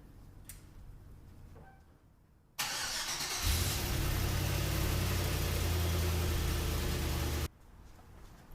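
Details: C10 truck with an LS swap after replacing knock sensors and harness (for a long-standing knock sensor code) and fitting a larger electric fan from a 2009 Dodge Journey. Quiet, then the starter catches and it settles into a steady, even idle; normal, no codes.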